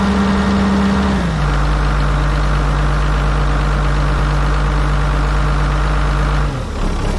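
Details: Kobelco 250 excavator diesel, just after a replacement muffler was installed over the failed one: a deep, steady idle settling a little lower, even and smooth with no rattle, then shut down; normal idle.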